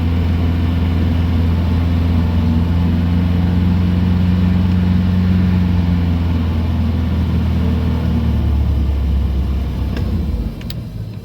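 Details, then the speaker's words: 2006 boat with Mercury MerCruiser 4.3 V6 inboard, after repair of a hot no-start, distributor cap and plug wires refitted: steady, even low rumble with no misses or knocks; running normally. "sounds like the motor's running pretty good so we'll have to take it out a few days on the water and give it a good run"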